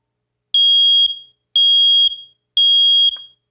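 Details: Older smoke alarm whose test button must be held down, giving three loud, piercing high beeps about half a second each, once per second, in a quiet room; sounder working properly.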